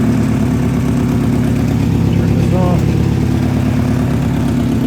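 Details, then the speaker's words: Toyota Matrix, 157,000 miles, after refitting a crushed intake manifold; heavy lumpy uneven idle, runs rough; owner believes plastic was sucked through the smashed intake runner and one cylinder has slightly low compression, seemingly improving. "I started the car doesn't run great I think it sucked plastic in fact I'm sure it did through this intake runner that got smashed and a a little bit of low compression that cylinder seems like it's getting better"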